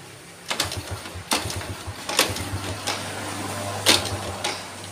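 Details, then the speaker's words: Yamaha Vega ZR with hard starting, hesitation on throttle and frequent stalling from weak ignition: repeated kick strokes with short mechanical clatter and no sustained firing at standard gap; ignition judged unusable. "ya benar-benar udah enggak mau hidup Guys dengan kerenggangan yang standarnya berarti memang motor ini pengapiannya udah enggak bisa di enggak bisa dipakai"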